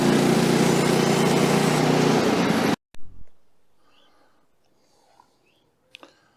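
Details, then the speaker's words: Woodland Mills HM130 Max portable sawmill after tensioner bearing replacement and blade guide work, cutting small silver maple log: steady, even engine drone and blade hiss through the cut, no squeal or rattle, then shutdown; running properly. "Get reclamped and we'll line up for the next cut. She's cutting really good now."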